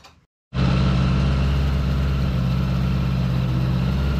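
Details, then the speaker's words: 1975 Honda Goldwing after installing a Dynatek digital electronic ignition kit with new coils: starts immediately and settles into a steady, even idle with no misses; owner said it was a little hard starting before; warming up about 5 minutes. "it starts immediately the owner said it was a little hard starting before so I'm going to let that warm up for about 5 minutes or so"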